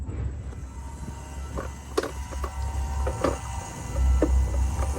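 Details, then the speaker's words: Cummins X15/ISX15 after fuel filter and water separator change, key cycled 3-4 times with engine off: low steady electric hum with light clicks as the fuel lift pump primes and bleeds air; normal. "You can hear that motor working. So again, cycle the key 3 or 4 times. Let that motor stop running."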